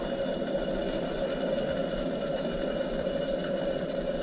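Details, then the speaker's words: Old Coleman camp stove unused for decades, lit once the valve was opened more ("up to light, down to burn"); steady even hiss-roar with no sputter or popping; pressurized burner burning cleanly. "just didn't have that valve open far enough once i opened up a little bit more she took right off"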